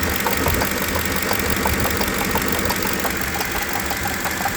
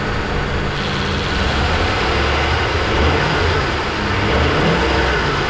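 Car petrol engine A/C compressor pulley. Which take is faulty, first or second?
first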